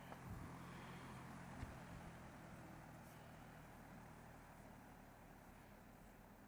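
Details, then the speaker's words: Newly installed 1-ton mini-split outdoor unit running just after switching on in cool mode set to 70 degrees; very faint steady hum with soft airy rush, no rattles or squeals, pretty quiet. Normal running. "Ooh, I hear the outside unit kick in. And the inside's on. And now let's go out and look at this guy. So it's pretty quiet."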